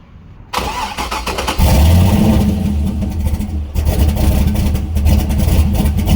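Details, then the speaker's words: Turbo LS V8 swapped Miata on first start with the new tune and the coupler on, not even warm, with the downpipe unfinished and nothing hooked up. Catches after a short crank into a lumpy, uneven idle. Running very rough; fuel pressure needs to come down and changes are still needed. "O2 sensor seems to be working it's still running very rough but there's a few changes that need to be made"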